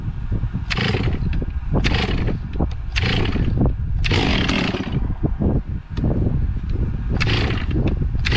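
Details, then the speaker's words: Stihl 046 chainsaw after port work and rebuild, first run after priming, cold before heat cycles; crisp throttle blips rise and fall cleanly from a steady idle with no bogging or misfire. Normal running. "uh so Tiffany's on her way she runs good she cranks good"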